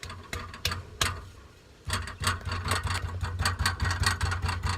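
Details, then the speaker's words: 2002 Nissan Frontier 3.3L V6 4x4 idling in gear, holding brake: irregular metallic tapping over a low steady idle, a loose exhaust mount rattling against the muffler. "they're all good except for one right there that's that rattling sound whenever this gets to rattling it rattles up against that"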